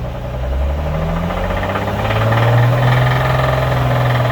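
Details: Engine after rod knock repair done without removing the engine, reassembled: revs up smoothly with a clean steady rising drone and no knocking under the climb; sounds healthy.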